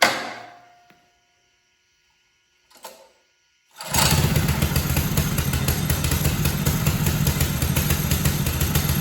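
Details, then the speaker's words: Mega Moto minibike with a 212cc single-cylinder engine after an ultrasonic carburetor cleaning removed dirt: it catches and settles into a steady, even run with no surging or stumbling. "That was it. It's running great. So, there was some piece of dirt up inside that carburetor that that ultrasonic cleaner was able to get out and I just simply couldn't."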